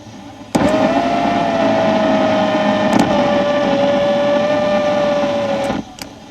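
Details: Volvo driver's-side power window motor running, heard through the AM radio: steady buzzing whine with a crackling edge for about five seconds, easing slightly near the end as brushes heat up; worn window motor brushes, motor about to fail.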